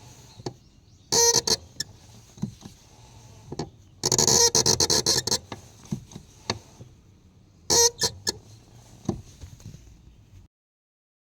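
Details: Honda Accord Euro-R CL7: sharp, high squeaks in irregular bursts from the clutch, then a long silent gap; clutch squeak.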